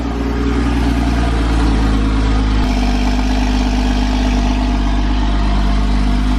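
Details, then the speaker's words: Relatively cold first start of a Porsche Boxster 981 with stock exhaust, after the shop replaced the oil pan with an RR Racing billet deep-sump pan (insurance had quoted a new engine): smooth, even low idle with a mild exhaust note, no knocks or ticks, healthy. "Of course, the stock exhaust, it doesn't sound the best. It doesn't have like some ferocious startup, but you'll see when we get driving it. I think it sounds decent."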